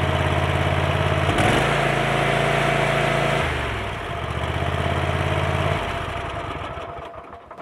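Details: Kohler 7000 series 24 hp twin that had been running on one cylinder, diagnosed through the ignition coil circuit (mouse damage suspected): after the repair it picks up cleanly and holds a smooth, even beat at full throttle, then settles back. The engine is running healthy.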